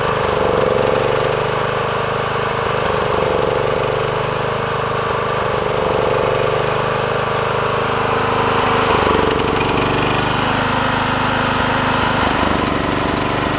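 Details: John Deere small single engine running unevenly, the beat stumbling and lurching around the nine- and twelve-second marks; rough running, cause unclear.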